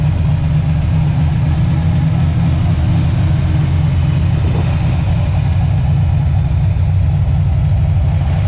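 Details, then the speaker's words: Freshly built, broken-in engine with Trick Flow cover, idle, TPS and timing adjusted, thermostat open, fans set at 185–190°F: deep, steady low rumble, even beat, no knocks or ticks; healthy idle. "Everything seems to be good. We set the cooling fans to come on at about 185, 190. And it sounds pretty freaking good, man."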